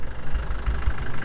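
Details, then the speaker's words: 1996 Land Rover Defender 110 diesel idling on a cold day, ticking away with a low, even, steady light clatter, no knocks or misses; healthy normal idle. "They're saying, and there's a defender just ticking away."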